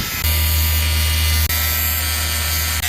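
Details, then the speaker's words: Air conditioner outdoor condensing unit: loud steady electrical buzz with low mains hum cutting out briefly twice; contactor chattering and starting to fail while 24 V thermostat signal is still present. "so here we removed our panel and you can see the problem is going to be our contactor what's happening is our contactor is starting to fail"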